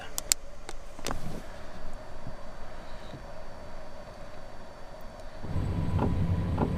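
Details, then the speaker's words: Van's under-floor diesel heater with new longer exhaust and extended air intake, leisure battery at 13.1 volts: faint fuel pump ticking, then burner fan spins up with rising whoosh: normal start-up. "So, I'm going to run it up until it starts to idle and then I'll cool it down."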